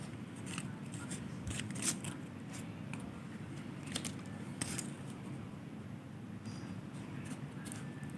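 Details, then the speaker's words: Low-value resistor (tens of ohms) in series with loudspeaker and 1.5V battery: several sharp speaker clicks as circuit closes, current flows, resistor good. "Kita cek. Nah, bunyi. Ini resistor yang kecil ya."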